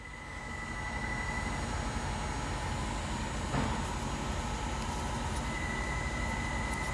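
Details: Hino truck diesel: steady thin whistle around two kilohertz over low diesel rumble, fading in and out; exhaust leak squeal, most often from broken or loose exhaust manifold studs, cause not confirmed.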